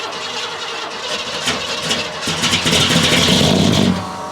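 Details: 1969 Buick Special Deluxe, 430 big-block V8 with big cam, first start after sitting since fall 2021; fires and revs unevenly, lumpy and stumbling, running super rich because the owner had left the choke mechanically closed all the way.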